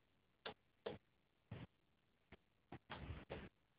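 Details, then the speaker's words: Samsung TV power supply clicking repeatedly at irregular intervals, about every half second, trying and failing to start; the set doesn't power on. Cause suspected, not confirmed. "basically it's the power supply that clicks doesn't come on and as you can see possibly here this is a problem you can hear the Supply trying"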